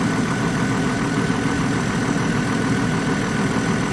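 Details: 2002 GMC Envoy 4.2 after fan clutch replacement, engine not yet warm: steady, even idle with constant airy fan rush over engine hum, no knocks or squeals; fan slowing itself, sounds healthy.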